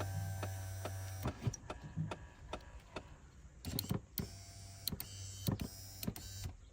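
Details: Window motor from a Nissan R33 Skyline two-door, replacing a burnt-out unit, bench-tested after reassembly: steady electric hum that starts and stops cleanly between a few handling clicks; the replacement window motor runs smoothly and works.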